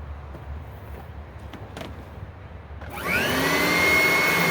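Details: Riccar Supralite upright vacuum after servicing, self-propel test on a wood floor: handling noise, then motor spins up to a steady high whine with even brush hum; runs normally and pulls itself along.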